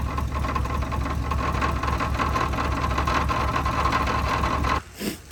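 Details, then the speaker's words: 1980 Cadillac Coupe DeVille after swap to long-tail TH400 transmission with cut-and-welded driveshaft, freshly filled with trans fluid, idling: even metallic knock about three times a second, then shutoff; owner suspects torque converter, maybe a loose bolt, as it goes away under load and moving. "Well, that's not good. I kind of got to investigate what that noise is. I'm going to do some research and see what I can find out. All right, so it sounds like there's something going on with the torque converter, like a loose bolt or something, but it goes away under load and the car is moving."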